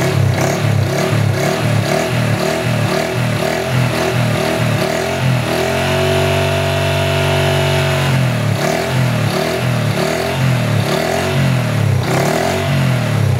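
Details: Honda Wave 110i after cam chain reassembly and adjustment: engine revs up and settles back smoothly with no rattle or whine from the top end; cam chain sounds quiet.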